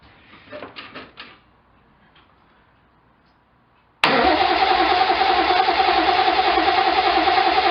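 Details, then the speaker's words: 1972 Triumph TR6, reassembled, in neutral with no distributor fitted yet, cranking: a few weak sputtering cranks, pause, then catches and runs fast and rough; hesitant start, fuel delivery suspect. "we're in neutral that's better already we got a splutter oh"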